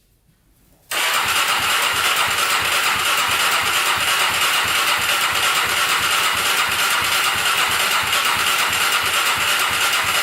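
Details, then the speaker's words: Polaris Predator 500cc quad, second start attempt with extra gas on carburetor: engine catches and runs roughly with hard knock about three times a second; owner suspects flywheel woodruff key sheared again. "heard something knock in there so i don't know if the woodruff key broke again we're gonna go check that i heard a sound i did not like coming from here so i'm thinking that key broke again"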